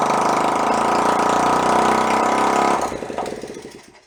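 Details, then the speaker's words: 1972 Honda CT70 Trail 70, stored 20 years, after carburettor work, carb dripping: single cylinder buzzes hard steadily, then chugs unevenly slower and dies; owner suspects a fouled plug. "Didn't like something. Like the valve just kind of go. He's dead, Jim. But she did live."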